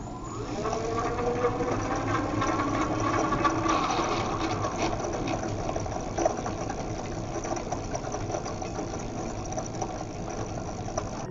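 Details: E-bike hub motor at about 3500 km: gritty churning under the motor whine, pulsing about four times a second, from bearings rusted by water after cleaning and river crossings; fix is new bearings, cleaning and regreasing the planetary gears.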